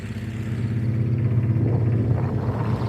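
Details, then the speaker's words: Tractor with brush hog, after clearing the carburetor jet (it was dying when the idle was lowered): even, steady low putter with no stumbling or dying out; running normally and much better. "Yeah, sounds a lot better."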